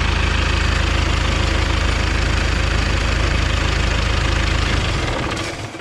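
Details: John Deere stationary engine on a strawberry-field irrigation pump, after an emergency clutch replacement. Steady low diesel thrum at an even beat around 200 per minute, then it winds down smoothly; the engine sounds healthy.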